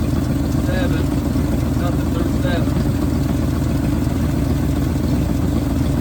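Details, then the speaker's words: 1971 Ford bumpside wrecker truck V8, warming up after a fuel pump change, idles with an uneven loping beat as pulses drop out; ignition misfire, cylinders three and seven not firing, owner suspects spark plugs. "you got another issue and now we have a ignition misfire proper technical term for that I guess"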